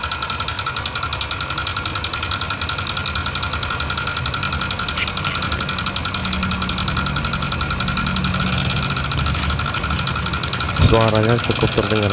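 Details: Yamaha NMAX 155 (new model) scooter, CVT cover removed to rule it out: steady idle with rough fast top-end ticking clatter from the cylinder head; rocker arm noise.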